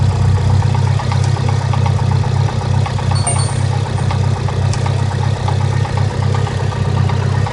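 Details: Mitsubishi Lancer Evolution IX idling: lumpy, uneven idle with loping low exhaust pulse, check engine light and cylinder 2 misfire code; caused by an aggressive HKS aftermarket exhaust camshaft, not a fault.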